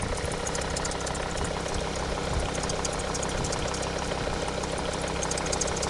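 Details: Volvo S60 D5 diesel at idle, noise suspected from the auxiliary belt: a steady idle with a busy rattling chatter on top, fairly even but not a clean knock; origin unconfirmed.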